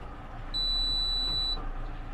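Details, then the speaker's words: Merry Fisher 895 boat at anchor, engines running: single clean steady high beep about a second long when the bow thruster's red button is pressed; normal power-on tone, though earlier a warbly beep preceded thruster failure. "Now to turn on your bow thruster, as you know, you press the little red button and you get hopefully a beep,"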